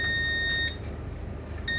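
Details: Demco fire alarm panel on ship KM Sabuk Nusantara 92, after power was switched off: steady high beep in long on-off pulses over room hum; fault warning "missing battery", backup battery not detected.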